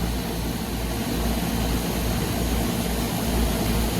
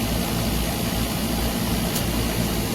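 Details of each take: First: Trane package unit after a compressor replacement, with two power legs swapped to correct rotation because there was no pressure differential. Deep, even, much smoother hum with no rattle; the pressure differential appears immediately; normal running. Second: Trane package unit after compressor, contactor and filter dryer replacement, system flushed with nitrogen and fully charged; after swapping two power legs compressor hum is smooth and even, but low side pulls into vacuum and trips on low pressure, pointing to plugged metering pistons.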